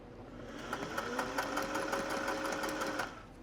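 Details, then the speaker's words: Singer 401A home sewing machine run after decades sitting, cleaned and oiled: light quick even ticking about three stitches a second over a smooth motor hum that rises and stops cleanly; sounds really nice, runs freely. "Turn that around. That sounds really nice."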